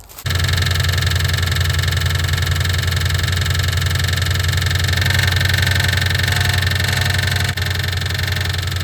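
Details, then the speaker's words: 1988 Ford Mustang GT 5.0 V8 at idle, hood off, listening along the valve cover: fast, loosely regular ticking knock, loudest at the front of the valve cover and fading toward the rear. Engine knock at idle. "Okay, so in my expert opinion, and I'm just going by just the valve cover, it sounds like it's coming from right here. This is where I'm getting the most noise."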